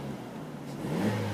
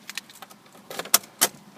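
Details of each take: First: Vauxhall Astra, about 68,645 miles on the clock, revving: engine note climbs smoothly with no rattle or knock. A brief rattle occurs only at start-up, suspected to be the exhaust. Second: Vauxhall Astra starting: a few light clicks, then a short metallic rattle as the engine fires that fades away, none at idle; source unclear, owner thinks it might be the exhaust.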